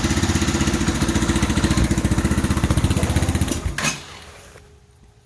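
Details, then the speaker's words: 2015 Bashan Storm 250 single: fast, uneven putter runs a few seconds, then cuts out on its own; owner suspects wiring or a corroded spark plug, later blames the bad plug, not confirmed. "so it keeps kicking out like that so i don't know if there's could it could be an issue with the wiring or the spark plug is just corroded"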